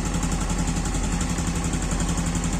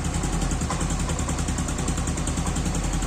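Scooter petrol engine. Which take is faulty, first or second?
second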